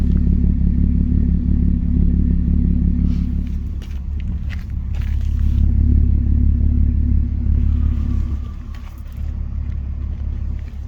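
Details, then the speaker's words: 2006 Porsche Cayenne with new spark plugs and coils, still shaking: low uneven idle rumble with a loping beat near three per second; rough idle, owner suspects misfire, vacuum leak or throttle body problem. "New spark plugs, new coil plugs, and still is engine shaking. Make sound here in the body trotty."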